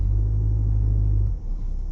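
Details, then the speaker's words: Manual car pulling away from standstill in too high a gear, second then third: deep, heavy drone from a labouring engine that slackens after a second; engine lugging, straining the clutch and loading the engine. "अब, अगर मैं इसे दूसरे gear में डालूं, तो यह गति पकड़ेगा। यह क्लच का उपयोग करके गति बढ़ाएगा , लेकिन क्लच पर अधिक दबाव पड़ेगा। इंजन पर थोड़ा अधिक भार पड़ेगा।"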